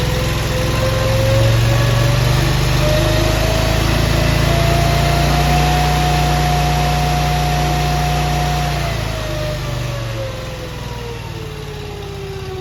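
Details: Honda iGX800 EFI engine on a Wolfe Ridge 35 SHO log splitter, running after new engine parts were fitted. Steady, even drone with a gentle rise and fall as the governor settles, no misses or knocks. Normal running.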